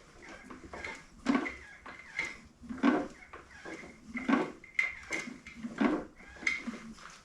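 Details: Ford Model A engine in a homemade doodlebug tractor, sat 40 years, turned over by hand: dull clunk about every 1.5 s; owner first suspected a loose rod, then a broken cam gear (known issue), to be checked with the timing pin.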